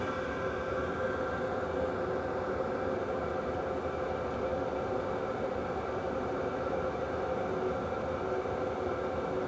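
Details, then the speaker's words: Wippro 8kW all-in-one diesel heater from Temu, running about 5 minutes on high with a duct extension hose, outlet around 176°: constant, somewhat loud fan rush with faint steady hum, no ticking, surging or rattles; running healthy. "it sounds really good and obviously this is on high so the fan noise is a little loud but it's nothing crazy especially for how much heat you're getting"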